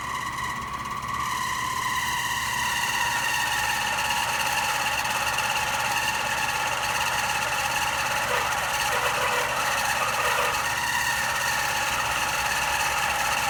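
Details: AC unit running: steady rasping hum with a whine on top and a brief scrape midway; abnormal running noise.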